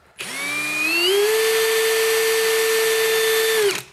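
A clean whine climbs quickly to a steady high pitch and holds evenly at full throttle, then cuts off; a healthy, smooth-running drill.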